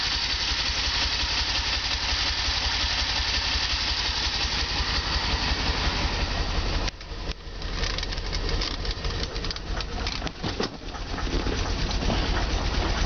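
Idle pulses unevenly at about three beats a second with lumpy dips and a stumble midway; the engine is running rough.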